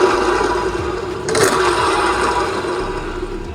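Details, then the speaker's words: Honda Beat injected scooter during full service: uneven rough rattling and scraping from the CVT belt drive side, surging briefly; worn variator slider pieces and worn pulley bearings. "Untuk bagian CVT dia itu ada bunyi-bunyi karena memang slide piece-nya juga udah kena ya dan juga bearingnya udah kena juga nih."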